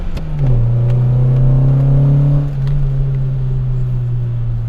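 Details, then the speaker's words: 1989 Honda Prelude after valve repair, redline 6750 rpm, revved below 6000: engine picks up cleanly, holds an even smooth drone, then settles without misses or knocks; sounds healthy. "sounds so good i think another reason why this car has lasted so long is that i try not to rev it up to redline even when i get on it"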